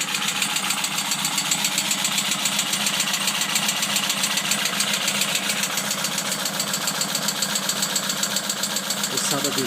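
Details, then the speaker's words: Opel Kadett B OHV 1.2 S engine, tuned with higher compression and camshaft, Weber carburettor swapped back to original; steady light knock about 220/min over idle, owner suspects it comes from low in the engine; cause unclear. "so mit ein bisschen Hilfe von einer netten Dame habe ich das wieder hingekriegt aber jetzt habe ich Verdacht dass das Geräusch von unten kommt"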